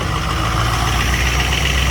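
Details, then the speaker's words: Jeep Grand Cherokee WJ at cold start, warming up with heat on: steady, even low rumble with no knocks or misses at a high idle of about 1,000 rpm; normal. "There's high idle. High idle is only about 1,000 RPM."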